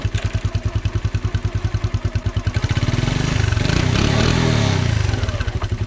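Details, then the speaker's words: 1985 Honda TRX 125, sat for years with locked rear end, now freed: starts right up, even single-cylinder thumping about three beats a second swelling with throttle, put in first gear to test brakes; clean, healthy running. "That's great, dude. Starts right up. First gear."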